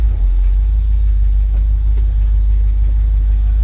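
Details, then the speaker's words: 1968 International Harvester Travelall 1100 half-ton V8, choke half out, idling just after a cold start: deep, smooth rumble holding a steady low idle with no misses, knocks or rattles; cold start works good. "So, yeah. Cold start works good, and I was going to show you here the gas gauge."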